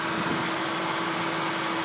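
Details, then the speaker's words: Lexus 3-litre engine with coolant problems, oil leaks and a suspected radiator leak. A steady, high, unchanging whine sits over a soft engine hum at idle. Whine from the engine bay, source not yet found. "A lot of whining. And God help me if I ever figure out what the fuck is wrong with this shit."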